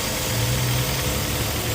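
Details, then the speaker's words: 2007 Hyundai Sonata 2.4 after replacing torn drive belt and broken idler pulley: steady, even idle with no squeal, chirp or knock; belt drive healthy. "Alright, we're gonna start it up, see if everything is perfect. Everything looking good."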